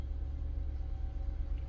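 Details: 2010 Chevrolet Camaro SS V8 just after a DIY fuel pump replacement: deep, steady rumble with even unbroken pulse, no knocks or misses; idling smoothly.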